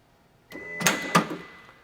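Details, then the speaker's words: 2004 Lexus LS430 with water damage, smart-key car, trunk latch after soft-close: press-and-hold release gives a short whir then two crisp clicks as latch lets go; latch itself works, interior trunk button fault lies elsewhere. "if I press and hold the trunk release let's listen to the latch"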